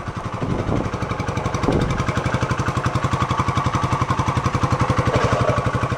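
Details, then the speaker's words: 1972 Honda SL125 single-cylinder idling with the airbox off, so intake air is audible: even, steady putter at about four beats a second, no knocks or misses; nice and quiet stock, healthy idle. "that sounds good nice and quiet stock"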